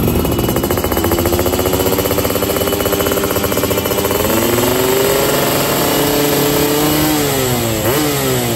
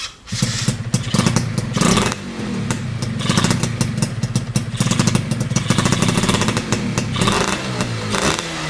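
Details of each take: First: Yamaha F1ZR two-stroke on free-rev roadside test with 145 main jet and NXL racing exhaust, after holed piston from CDI ignition; crisp raspy revs, dry at top end — running lean, carb not yet tuned. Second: Yamaha F1ZR two-stroke with BRT CDI ignition, setting considered ideal, after a holed piston: crisp revving held at high rpm, clean and even with no misfire; top-end revs held back.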